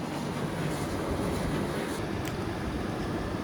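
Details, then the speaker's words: Indesit IDC75 condenser tumble dryer whose noise had recently developed: after the condensate pump system (pump to the top tank) was serviced and refitted, it runs with only a soft, even hum and airflow, and the noise is gone. "and this is the pump this is the part that pumps up to the expansion tank at the top"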